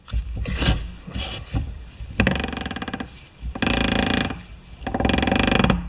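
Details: MTD lawn tractor differential, shafts turned by hand with the brake assembly removed: rough, scraping growls in uneven bursts with no steady tone, from rounded-off gear teeth grinding as they mesh.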